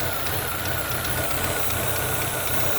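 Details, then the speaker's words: Chevrolet Utility 1.4 that was jerking: steady hiss over an uneven, lumpy idle from a split vacuum hose leaking air and roughening the idle; first suspected fuel injectors. "Now, if you listen closely, you hear a hissing sound."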